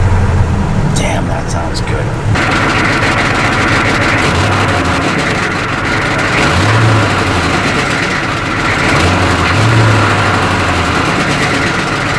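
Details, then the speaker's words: CUCV M1028 diesel truck after wiring repair: steady even idle with smooth low clatter and no rattle, sounding healthy and low-mileage. "runs good sounds good you really can just tell how fresh and young this motor really is mileage wise now that it's not on rattling"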